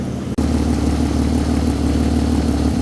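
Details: Peugeot 206 with swapped VR6 engine, before revving: smooth settled idle with even low beat, no clunks or knocks; accessory belt not wobbling, engine barely moving.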